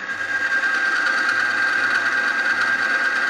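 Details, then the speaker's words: E-bike chain lubricant on a friction-testing machine under weight plates: a steady high-pitched squeal with a gritty, scratchy edge as metal scrapes on metal. The lube breaks down and smokes under high friction. "that sound you hear that is the metal on metal the scraping we will highlight it"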